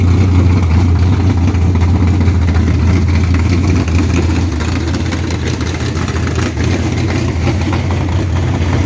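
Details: 1969 Camaro V8 with old eBay heads, Holley Street Dominator, 600cfm Holley, 12-601-4 cam kit and full-length headers at idle: deep, lumpy idle loping three or four a second; loud, no clear knock, noise source unclear.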